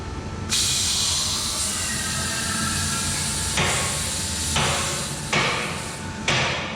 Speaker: okay the clicking you heard was the locks the locks are there to make sure that this lift cannot come down while you're working on it